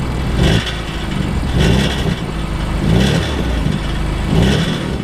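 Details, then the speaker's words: BMW M3 with aftermarket exhaust and midpipe: bursts of metallic rattle about every second from a small leak at the downpipe-to-midpipe gasket joint, worst when cold in the morning; planned fix is a new gasket, bolts and internal rings. "and there is a rattle so and check this out when I actually when they hit the exhaust you can hear it you hear that something is happening here and when the car is called especially in the morning it rattles like crazy until it warms up"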